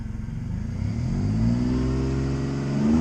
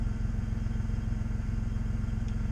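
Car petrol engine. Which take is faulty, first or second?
second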